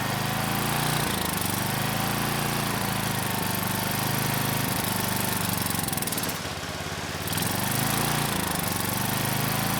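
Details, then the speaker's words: Craftsman 2500 W generator, Tecumseh OHV OHH60-71116C engine, carb primed manually, suspected dirty carb with no choke: starts first pull, rough uneven chugging at mid speed with a dip, nearly dies until choked by hand. "I can't believe it. But this machine, it's trying to live. It started the first pull."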